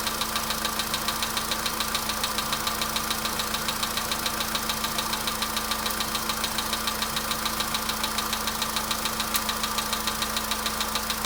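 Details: VW Polo Sedan at idle: sharp, steady ticking knock about three and a half per second over an even idle, never changing; knock from inside the engine.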